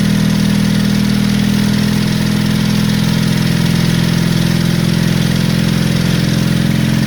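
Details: Honda CB350 Four project bike, first start after running fuel in: lumpy uneven idle dropping pulses irregularly, noise from the top; only two cylinders run well, other two intermittently; misfire, cause not yet found.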